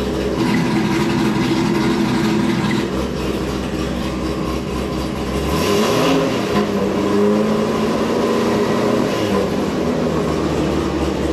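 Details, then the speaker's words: Corvette Z06 V8 idling warm after a service-bulletin fix for a passenger-side exhaust valve rattle; steady idle with a brief tone change as the valves cycle, and the earlier constant pinging rattle is gone. "i don't hear any more rattle before you just heard like a constant like pinging noise and i'm not hearing that now"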